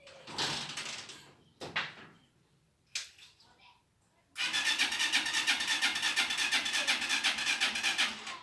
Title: TMX 125 ALPHA 2021 HARD STARTING PROBLEM